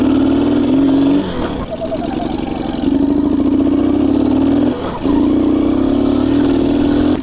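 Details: Delta Alpha moped engine won't hold idle, smokes, chokes and misfires with uneven stumbling firing and foreign noise inside; teardown found worn piston fitted wrong, a chunk broken off, oily deposits and damaged cylinder.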